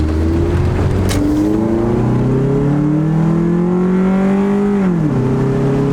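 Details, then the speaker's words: Honda Accord road test after repair: engine pulls smoothly with steadily climbing note, then one clean quick upshift; previously shook, struggled and shifted hard near redline; now normal acceleration. "It feels a lot better. Yeah, and it doesn't shift really hard anymore."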